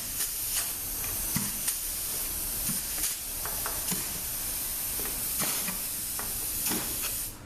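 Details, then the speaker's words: Mercedes 722.4 transmission after valve body overhaul (K3 clutch had failed), air check with test plate: steady hiss with firm dull thumps as the clutch applies, no leak whistle; clutches holding solidly. "So everything sounded pretty solid."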